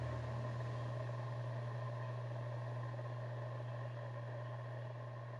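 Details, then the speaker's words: Panasonic G85/G80 camera, powered on, before firmware 1.2 update: internal mic picks up a steady low hum with soft airy hiss like a heating vent or low wind blowing. "should be able to hear a little humming noise it's more like a vente noise like a heating vent like a low kind of wind blowing noise"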